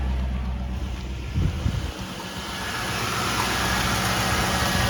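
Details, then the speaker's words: 2000 Ford Crown Victoria P71 on first start after a new fuel pump, primed three times. It catches after a brief stumble and settles into a steady, even idle with no misses or knocks. It runs. "Here we go, first start. All right, looks like it's running."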